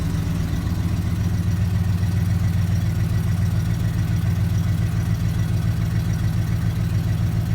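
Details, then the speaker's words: 2004 Ford F-150 starting and idling steadily with an even pulse and no misses after replacing a failed Dorman fuel pump driver module with the OEM Ford part; codes cleared before a key-on engine-running self-test; normal idle. "we're gonna go ahead and start the truck up [Music] and it starts up good and we'll go ahead and do a key on engine running self-test"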